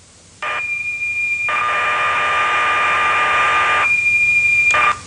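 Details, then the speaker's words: BBC Micro loading a program ("demo 1") from cassette recorder, plug pulled so the data plays aloud: steady high whistle switching to a lower continuous tone and back, the two notes of normal cassette data loading, about 4,000 characters. "The program is in fact stored as a set of audio tones or whistles. We can listen to those if we pull out this plug."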